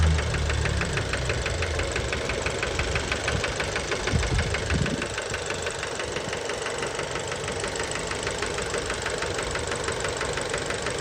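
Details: Fiat Bravo 2 1.4 T-Jet 150 HP at 215,000 km, after recent maintenance, close to engine: fast fairly even knock about three per second at idle; later found to be worn rod bearings, car scrapped, cause unknown; engine knocking at idle.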